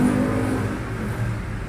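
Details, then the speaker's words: Euro Samurai 150i motorcycle, after fixing a spark plug bent by a pothole impact, plug and cap checked: even steady low exhaust beat easing off, no misfires; running smoothly, fixed. "Yun nga napatunayan natin na nagkadiperensya. So yun, okay na yung motor ni sir."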